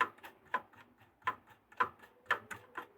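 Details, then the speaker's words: LG RCT689H DVD/VHS recorder (2011, Funai mechanism): faint uneven ticking, about two per second, from the tape mechanism after partly melting off leftover plastic moulding flash that a gear rubbed on; still slightly audible. "e dans là il ya un petit truc en plastique moi c'est comme une trace de moulage est en fait je pense que c'est ça qui frotte"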